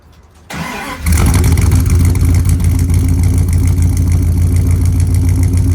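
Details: 1999 Dodge Ram 1500 5.2L 318 V8 with years-long cold miss, fresh spark plugs just fitted, mic by exhaust: starter whirs, engine catches into an uneven loping idle with irregular stumble; cold misfire, cause not found, owner suspects cylinders two and four wires swapped.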